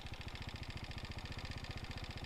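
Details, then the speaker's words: 2018 KTM Duke 390 at 49,657 km, idling: fast even ticking about twelve per second over the engine thrum; owner can't tell if from engine or above it; service center suspects engine issue, unconfirmed. "Sound check करो guys, मतलब पता नहीं भाई ये किस चीज़ का sound है। मतलब इधर से आ रहा है, इंजन से आ रहा है या इसके ऊपर से पता नहीं चल रहा है, इधर से आ रहा है।"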